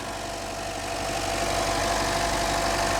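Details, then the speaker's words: Chevy Trax/Cruze after ignition coil repair taped back in place; previously misfiring and jerking, now a steady, even idle with smooth unbroken rhythm, no stumbles, all cylinders firing cleanly. "is running good again before that motor was jerking all over"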